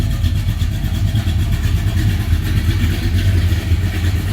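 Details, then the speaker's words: 1978 Ford Courier after a coolant-sealing repair, warming up in the garage at about 700 RPM and 110 on the gauge, heard from the rear: a deep, even, slightly raspy, snarly exhaust rumble at idle; it runs well. "Always like to come back here and you can hear it. It runs good."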